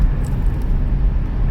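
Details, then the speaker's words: Minivan "Blondie" at interstate speed on nice new tires just swapped in: low, even road rumble, not a noise, shake or rattle; smooth highway cruise. "Not a noise, not a shake, not a rattle, nothing. Yeah, that feels mint."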